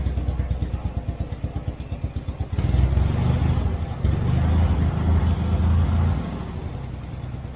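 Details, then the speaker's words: Turner Ranger tractor with a 1098cc A-series petrol engine: uneven, stumbling puttering in a misfire. Owner suspects dirty spark plugs or HT leads fitted the wrong way round; timing and mixture adjustment later fixed the plug fouling. "think I've got a problem there with dirty Spark plugs maybe there put the HT leads on the wrong way [Music] around"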